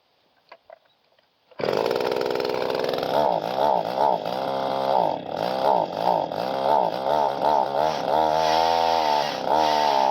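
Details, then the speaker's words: Small two-stroke pole saw engine that starts: it buzzes high but surges and sags instead of holding clean revs, with no throttle response. Owner suspects the carburetor high-speed needle is out of adjustment. "there now it runs I definitely got play around that carburetor sounds like it's got to be the high needle right is out of adjustment or something no throttle response to it"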